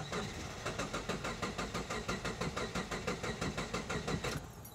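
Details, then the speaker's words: 2010 Subaru Impreza with fuel pump fuse pulled to release fuel pressure before in-tank fuel filter replacement: even starter cranking at about five compressions a second, no firing; cranks but won't catch. "so now we'll crank the car it'll probably start and then it'll die off crank it a few more times and that will release all the fuel pressure in the system"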